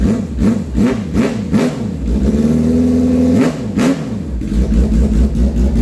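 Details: Custom 400 HP street motorcycle build, revved lightly: crisp blips rising and falling cleanly, a short held rev, then back to steady idle; engine pulls freely and sounds healthy.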